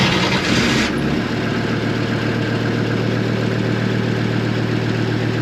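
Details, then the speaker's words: Race car engine after the starter wire crimp was repaired: starter whirr, then it catches and settles into a smooth, steady idle with an even low hum and some buzzing; running normally. "Sweet. It's good to see it running, eh?"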